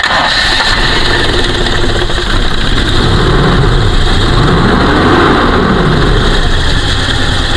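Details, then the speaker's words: 1998 Toyota Kijang LGX 1800cc, engine oil fresh with no coolant contamination, just started: engine catches quickly and settles into a smooth, even idle with a steady beat, no misfires or odd noises; normal idle. "Suara langsamnya normal-normal aja, tidak pincang, tidak berebet, tidak ada suara-suara yang aneh di kondisi stasioner seperti ini."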